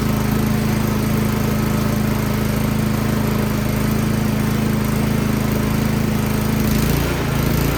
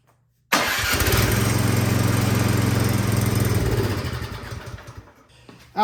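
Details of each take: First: Troy-Bilt Storm 2410 snow blower single-cylinder engine, started with choke, unprimed, after carburetor cleaning (fuel had sat, clogging carburetor; new gas mixed with old): runs at a steady even pace about seven seconds then settles, running normally. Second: Troy-Bilt Storm 2410 snow blower, fuel sat in tank and carburetor: fires at once on full choke after priming, runs a few seconds at a steady chug, then slows, falters and dies; clogged carburetor, fixed by cleaning.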